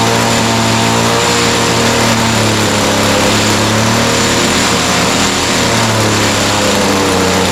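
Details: Echo SRM-210 straight-shaft line trimmer after repair kit (new carburetor, primer bulb, fuel lines, air filter), started on half choke, slight carb adjustment: high, buzzy two-stroke note holding steady and even without surging or missing; normal running.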